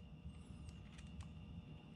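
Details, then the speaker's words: 12 V automatic battery charger being converted to full manual for electrolysis, opened on 110 V mains: low, steady transformer hum with no rattle or buzz, confirming it powers up and works normally. "all right so i know it's working because i can hear the transformer humming now this reminds me of this one plug it in you hear the hum you know you're good to go"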